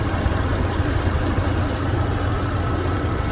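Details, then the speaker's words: 2003 Toyota Tundra 3.4-litre V6, 2WD, almost 200,000 miles, reportedly bone stock: smooth, even low idle rumble with no ticks, knocks or misses; exceptionally quiet, healthy engine. "think that may be quieter than my 5:7 I mean this thing is just it it just pervs it amazes me how quiet this is with 200,000 miles on it"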